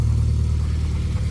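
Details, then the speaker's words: Mitsubishi Lancer Ralliart, after a fix to cure a ticking/rattle: smooth, even low rumble with no ticks or rattles, only normal SST chatter. "lights no more rattling and uh that's what you want to hear so we have a healthy Lancer rard and just your normal SST chatter nothing crazy going on"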